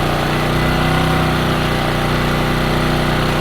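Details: New Champion generator on first start-up, half a tank, choke on, in break-in; steady, fairly quiet buzzing drone at constant speed with no misses, knocks or surging; running smoothly.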